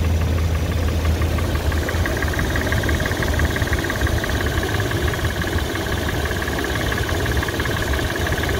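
Steady idle with a light, fast metallic tick riding over the engine note; cause unclear, something in the top end or bottom end.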